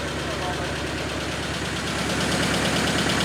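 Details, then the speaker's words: Nissan 910 Bluebird wagon running on a radiator filled with plain water for testing, fan working: fairly even, throaty idle with no knocks or misses; normal idle. "Fan's working well. That's got a bit of a raunchy sound to it, I like it."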